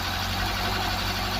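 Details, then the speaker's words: Ford Cortina Mk3 Estate engine idling steadily and evenly with no misses, knocks or hunting after the carburettor was refitted; running smoothly, normal idle. "well i've been here since he's running smoothly look at that sounds really good as well"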